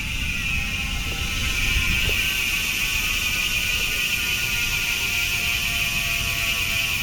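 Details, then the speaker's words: Foxter Harvard FT-5.2 27.5 rigid MTB, Speed 1 Soldier rear hub, 6 pawls, steel bearings; fast, light, even freewheel ticking while coasting with no grinding, sounding like freshly repacked with new grease. "guys, yan yung tunog ng Speed 1 Soldier MTB hubs kapag naka free wheel. Parang bagong ano yun, bagong repack."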